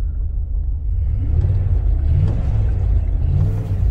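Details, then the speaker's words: 1998 Jeep Grand Cherokee Limited 5.9 L V8, 119,000 miles, abandoned five years; shaking, lumpy uneven rumble when revved, owner suspects running on six or seven cylinders, coolant possibly low. "it's shaking yeah it's not running the best i hear a bunch of coolant when i rev it up might be a little low wow this might actually be running on six or seven cylinders right now"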